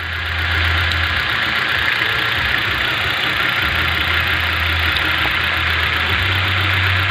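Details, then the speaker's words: 2011 Hyundai i20 petrol engine idling roughly with an uneven, stumbling misfire; unplugging each cylinder in turn shows cylinder two dead, so the coil pack or spark plug is suspected, and the plug will be changed first. "number two seems to be the culprit [Music] so now we've done now is we've diagnosed number two it could be the call pack or could be the spark plug"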